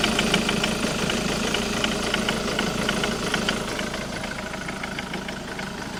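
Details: Jaguar X-Type 2.0d diesel at idle: a sharp, regular knock or rattle, about three per second, from the driver's side of the engine. The source is unknown.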